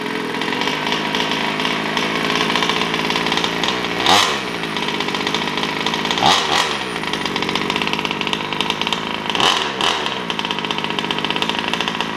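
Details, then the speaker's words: Taylor RC 35cc two-stroke in a DBXL 2.0 with Bartolone Racing exhaust and air filter, on its first start and heat-cycling before any full throttle. A buzzy idle with three crisp throttle blips that rise and fall; it sounds smooth and healthy. "okay so i'm letting it cool off letting it cool off right now i'm doing a few heat cycles before i do full throttle sorry the ice um but she sounds great she sounds nice"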